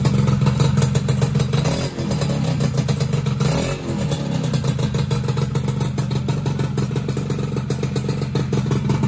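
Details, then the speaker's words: Two-stroke motorcycle first start after rebuild with small CDI: uneven clattering idle, ragged irregular beat, hesitant revs; main/pilot jet suspected too small, improved after needle adjustment; rough running. "Ngok guys, kayaknya kurang gede ini main jetnya. Pilot jetnya kurang gede kayaknya."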